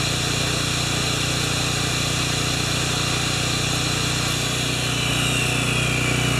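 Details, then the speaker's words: Makita G2400R generator with a non-OEM replacement carburetor running a saw in a load test, saw drawing about 5.7 A unloaded and 13 A triggered; steady drone holds speed alongside the saw's high whine, no hunting or stumble; normal running under load. "now it's really loud so I'm going to I'm going to do it separately I can't talk when the generator and the saw is going as you understand and we'll come back thanks"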